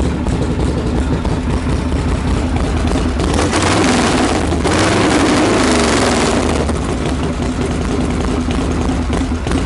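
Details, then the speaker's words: Freshly reassembled Harley Knucklehead, stone cold, not yet ridden or dialed in, burning off a little oil smoke: lumpy, blubbery V-twin idle about three beats a second; rich cold idle, leaned out slightly and sounded better. "it's got to clear itself out it had even been down the street yet I guess we can lean it out a little bit too that's better"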